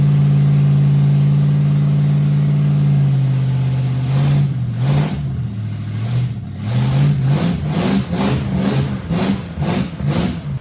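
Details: Ford 390 FE big-block V8 in a station wagon, first fire-up after new electronic ignition in the distributor and timing set, for cam break-in, with new stainless exhaust; smooth even lope, clean repeated throttle blips, no misses or knocks. Normal running after start.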